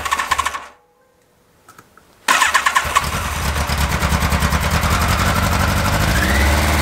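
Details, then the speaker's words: Motorcycle restarted after the carburetor was reinstalled and the cylinder 1 richness problem and probably partly clogged idle screws were fixed: it idles with a tinny, pan-like clatter on every beat. Source not identified. "Vous entendez ce bruit de casserole?"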